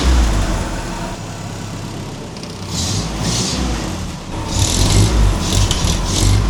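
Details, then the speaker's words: 1950 Willys M38 Jeep at its first start in 15 years, with a new wiring harness, fluids and fuel system, running on some choke with a fuel leak: gentle revs that rise and fall cleanly, smooth and even, with no knocks or misses. "I gotta hop in here, rev it up for a minute. I'm not gonna go too crazy because, you know, fuel leak."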